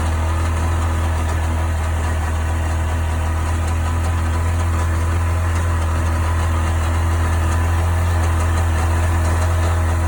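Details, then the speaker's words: 1998 Sea-Doo GS 720 two-stroke personal watercraft at idle: steady deep drone with a faint uneven knocking underneath; owner asking what the strange noise is, cause unknown. "So what the hell is that noise? Any help's appreciated."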